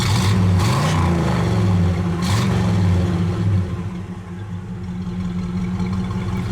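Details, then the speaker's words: 1967 Pontiac LeMans, numbers-matching 326 V8 with 4-barrel, heard from the rear; deep burble swelling with a couple of blips, then dropping back to a smooth, steady idle; engine sounds healthy. "Now this is a 326 numbers matching motor, and it is, you know, it's got a 4-barrel on it, so it sounds"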